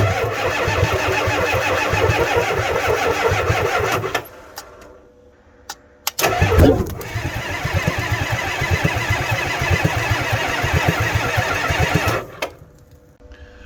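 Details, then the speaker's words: Ford F350 7.3 IDI diesel at about 15°F, cold, charger on booster, some glow plugs suspected dead: two long sluggish cranking bursts at about four compression beats a second, never catches; batteries too weak. "Alright, we've tried cranking on this thing a few times. The batteries are just too weak."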